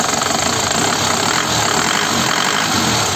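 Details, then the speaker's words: 2015 Panther LS Turbo diesel, around 90 thousand km, one owner, stock engine never opened: even, steady idle clatter, calm and not loud as it is still factory standard, no knocks or misses. A healthy turbo-diesel idle. "masih standar pabrik agak kalem suaranya nggak bisa ngerak ya kalau ngerak itu biasanya sudah di style gitu ya"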